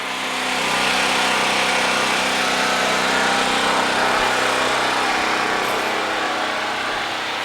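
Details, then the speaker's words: Harbor Freight Predator 4375/3500 W generator, 6.5 HP 212cc, running a fridge as light load: steady, even buzz with brisk light-engine note, no knocks or surging; definite change on load but not much louder; healthy. "I forgot the noise is gonna sound different so I hope you can hear this audio but there's a definite change when you plug something in here I want you to hear that in the video but for the most part not much louder at all"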